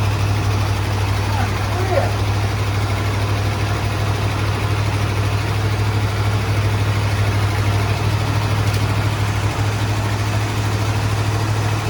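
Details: 1972 Ford F-100 XLT Ranger V8, sat 15 years, started with coil bypassed and jump box: deep, steady low rumble at an even idle, no misses; runs fine after long storage.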